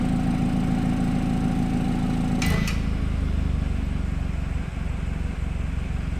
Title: Bmw f30 weird noise 20 to 30 secs after startup